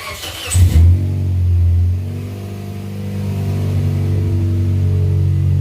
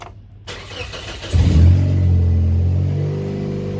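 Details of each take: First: 2004 Scion xB in a garage after the rusty rear exhaust section was welded, with no muffler fitted: a deep, loud drone that swells as revs rise and settles back, with no puffing or ticking from leaks. Loud open exhaust. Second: 2004 Scion xB revving with axle-back exhaust removed, exhaust not yet welded: loud, raw booming drone swelling with revs; donut gasket leaking, worse after prying on it; manifold bolts also bad, causing a tick up front.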